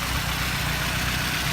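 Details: 1988 Honda Civic wagon with a recently swapped engine on original plugs and wires: steady, even idle with a smooth low hum and no tapping or misses; the engine sounds healthy, with only mild oil pan seepage and no oil burning.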